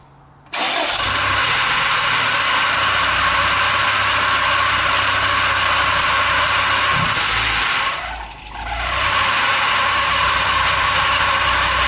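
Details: Toyota 22RE dually just after installing a Redline Beast Cam: fires quickly, settles to steady even idle with one brief dip, no knock or tick; sounds healthy, lumpiness unclear.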